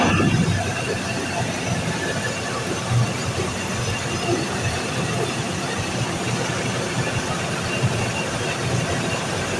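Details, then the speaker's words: Package AC unit with a constant high-pitched squeal over a steady rush of air, pitch unchanging, louder as it shuts down and heard floors below. Dry fan bearing squeal; oiling it is planned. "यही sound है और बंद हो रहा है तो और भी ज्यादा हो रहा है और पूरा नीचे तक का जा रहा है"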